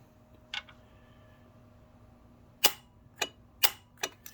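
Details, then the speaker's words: Saturn S-series with rear-mount turbo, A/C compressor circuit on the gray wire: sharp dry clicks about once a second, unevenly spaced, over a quiet background. Owner suspects a bad PCM or a ground fault, to be checked by disconnecting the connector. "then I'm going to disconnect that connector and then see if I still have power uh go into it because if I do then it means this PCM is bad if I don't then I've got a ground fault somewhere"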